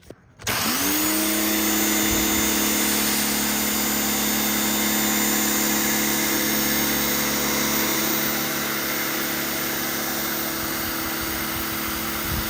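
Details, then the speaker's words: New Canadian Tire Certified 1800 PSI 1.4 GPM corded brushed electric pressure washer, first use spraying: motor spins up to a steady, even constant-pitch drone, nothing rough or knocking; normal running. "Oh, okay, so when you push the trigger, it turns on."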